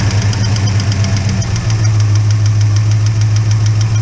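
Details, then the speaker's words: Holden HK engine, owner-reported hydraulic lifter tick: fast light ticking over a rough low idle, steady with engine speed, with no oil reaching the top end yet; holding the pushrod up makes the noise go away. "there's definitely a kick in there a lift the chip I've got no oil coming up to the top end at the moment okay yeah there's definitely with the noise there"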